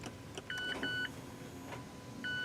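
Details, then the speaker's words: 2017 Mazda 3 electric parking brake being put into service mode before rear pad replacement (gas pedal down, parking brake button, start pressed three times): short caliper-motor whirs retracting, then clean chimes as ignition comes on; normal. "you should hear the motor turning right now there's the end of it so now they are retracted"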